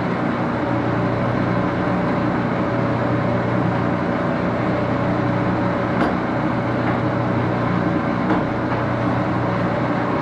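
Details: Axelson 14x30 heavy-duty gear-head lathe, headstock on AW68 hydraulic oil, run through its gears: steady, even gear whine and hum, constant drone, no knocks; noisy gearbox running normally.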